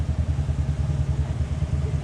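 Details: Vehicle idling on premium fuel with air-fuel ratio swinging from about 13 to 18: steady low throb with slightly uneven pulse and small dips; lean stumble in rough idle, cause not yet known.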